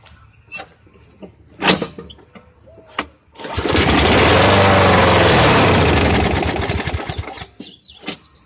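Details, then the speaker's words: Old free push mower: catches and runs fairly evenly about four seconds, then fades and stops; owner suspects a clogged air filter or a dirty carburetor. "But it runs, it started. It actually sounded pretty good. I'm gonna actually do that one more time here and listen to that engine. The engine actually sounds pretty good."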